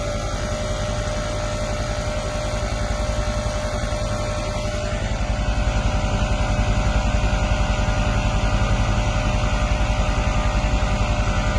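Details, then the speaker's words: 2015 Mercedes-Benz E63 AMG W212 twin-turbo V8 after air suspension pump replacement: the new compressor, plugged back in, runs with a steady droning hum and even pulsing buzz, growing slightly louder as the car rises; normal operation. "plugged in pumps plugged in here and now the vehicle should raise as you can hear the pump is running and the vehicle is rising"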